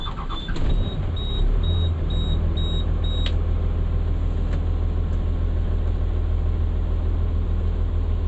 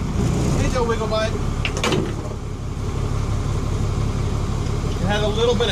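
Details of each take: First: Diesel with a long-running fuel air leak, after a mechanic checked and cleaned the fuel system, cranked after about 4 hours sitting: short crank catches almost instantly, then a steady, even idle with no stumble or hunting; problem fixed, sounds nicer. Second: Diesel cranked about 45 minutes after last run, fuel system drawing air: churns at about four beats a second but won't catch; hard starting from fuel system air leak, possibly at cracked fuel separator bowl.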